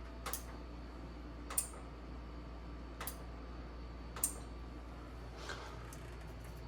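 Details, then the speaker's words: Bertazzoni X365 GGV X vent hood with lights coming on and off: sharp single clicks about every second and a half, control board relay cycling on and off by itself; main control board suspected. "I do not see any bur Marks here but the relay keeps collecting by itself on and off turn it off again"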